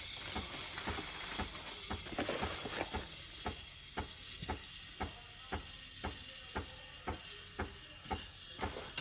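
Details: Breville espresso machine steam wand after the fix: a steady loud hiss of steam with a regular click roughly twice a second underneath. The steamer works properly.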